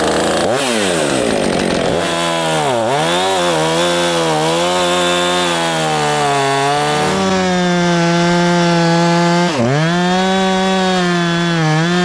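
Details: Husqvarna chainsaw after repairing a hidden carburetor air/fuel leak that had made it bog and run poorly; revs cleanly to a high steady scream, bogs briefly under each cut and recovers crisply; healthy running.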